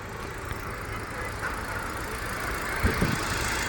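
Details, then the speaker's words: Used car in Chennai idling with the A/C on, radiator fan and compressor running: steady, even idle with a soft fan rush and no knocks or squeals; the compressor adds no extra noise. Normal idle under A/C load. "Compressor இப்போ ஓடி தான் இருக்குது. Compressor ஓடினாலுமே கூட எந்த விதமான additional பெருசாக sound வரல."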